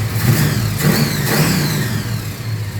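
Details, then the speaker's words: Holden HQ four-door small-block Chevy V8; revs snap up on each blip and fall back cleanly without bogging or popping, very responsive. Normal throttle response. "all right so we're we're in a good spot runs nicely idle cam gives it the"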